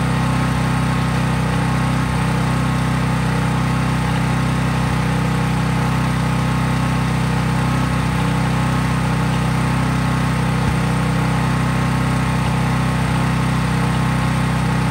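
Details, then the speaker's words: Craftsman 5000 W portable generator after a cold start, at full speed with just an LED bulb plugged in (no load); steady, even drone with no surging or misses. Normal running, no load. "Since I was just plugging in an LED bulb, there was no load on the generator, but when I've added things such as a refrigerator or whatever, some household appliance like a toaster oven, I've definitely done that."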